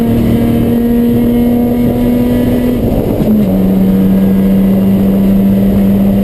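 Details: Chumpcar race car on track at Watkins Glen, where the misfire began midday Saturday. A steady high drone with an uneven, ragged stutter and a dip in pitch midway: misfire under load, cause unknown.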